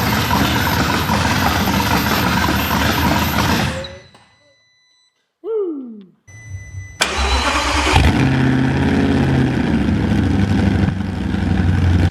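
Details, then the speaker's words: Audi R8 engine after complete rebuild, first starts: cranks, catches and settles into an uneven lumpy idle with a pulsing beat; improving each start, owner suspects system needs flushing; right bank smoking from old oil in exhaust. "It sounds good on initial startup. It's running a little bit lumpy on idle, but every start it gets better and better."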